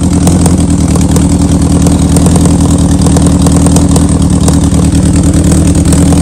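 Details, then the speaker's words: 2003 Yamaha R1 with 27,000 miles, restarted on a charged battery after sitting: lumpy, busy idle with a sharp ticking puff on every firing pulse. It sounds like a bottom-end knock but is the cracked, loose exhaust header leaking; the engine otherwise runs strong. "it's going to really sound like that the motor is there's like a knock in there or something but it's not it's the exhaust 100%"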